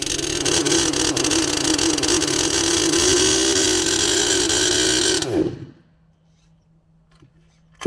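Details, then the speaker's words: HPI Savage Octane petrol RC car on a cold morning. The engine buzzes steadily at high revs, then dies abruptly without sputtering; owner suspects ignition rather than the carburetor. "it's yeah def definitely sounds like an ignition problem not a fueling or carburation problem just a way that it runs and it just stops as if the spark stops"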